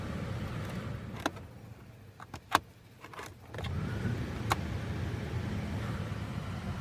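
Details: 2013 Chrysler 200: sharp, irregular clicks several seconds apart behind the glovebox near the cabin air filter, over a quiet cabin hum; happens constantly, even after sitting parked; source not identified.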